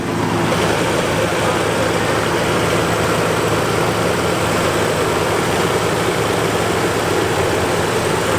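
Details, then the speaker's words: 1987 Nissan 300ZX 3.0 V6 idling, heard under the hood; steady, even hum with a smooth rush and no knocks, ticks or misses, sounding healthy. "All right, everybody, so the V6 3000 Nissan, a pretty cool motor, man. Sounds good under there."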